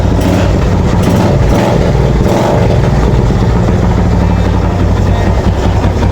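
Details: Yamaha FZ motorcycle that would not start now idles steadily with an even, low exhaust beat and no misfires after the carb was cleaned and water was found in the tank.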